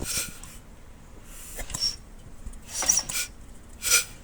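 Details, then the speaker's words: 10 hp Briggs 19G412 L-head on a Coleman generator, hand-cranked slowly after a head resurface and restoring tappet clearance (overheating had sunk the valve seats). A soft hiss through the intake about once a second, then firm compression before TDC. Easy-spin compression release working. "That slight hiss, and then it hits. The flywheel gets firm right there before top dead center. Now that's the easy spin working."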